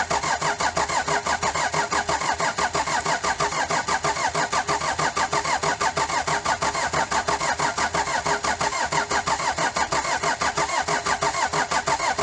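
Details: Daihatsu Fourtrak pickup with replacement turbo engine and new clutch after head gasket failure, first crank: steady rhythmic cranking, about ninety-odd beats a minute, engine trying to catch.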